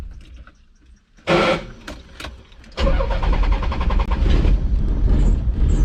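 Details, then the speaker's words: Nissan 300ZX: a harsh grinding scrape during cranking, then the engine catches into a rough idle. The grind has been present since purchase despite four starter replacements. The owner suspects the flywheel, unconfirmed. "well you guys heard that grinding sound I don't know what's up with the say ever since I got this car it's made that sound I replaced the starter like four times"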